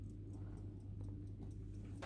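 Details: Old family pocket watch, possibly silver, by a Shrewsbury watchmaker, which stops after a while and may need servicing. Quick, light ticks about four or five a second, steady over a faint mains hum. The movement is running normally.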